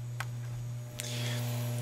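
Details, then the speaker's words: 1987 Lennox G16Q3 80% gas furnace on a call for heat: a loud, steady low electrical hum with no spinning sound. The inducer motor is powered but stalled and will not rotate on its own. "I've turned this on with a call for heat and you can hear that noise that humming noise okay that's coming from the inducer"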